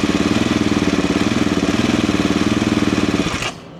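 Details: Off-road single with WRP performance single pipe and O2 sensor delete; crisp even single-cylinder thump at a steady fast idle, about four pulses a second, then cut off; sounds healthy and strong.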